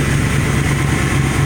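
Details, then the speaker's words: Truck whose valvetrain had a loud audible tap, after Liqui Moly and Ceratec oil additives: smooth, even idle with a steady low hum and no top-end tapping; normal idle. "when I use these additives and help quiet up the motor quite a bit"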